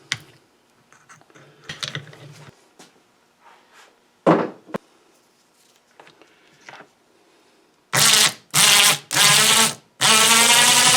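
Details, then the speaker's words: Snow blower chute-rotating winch motor after disassembly and regreasing the gears: four short even runs with a smooth steady whir, no grinding or rattle; previously made a terrible noise, now sounds healthy. "sounds a lot better already doesn't it"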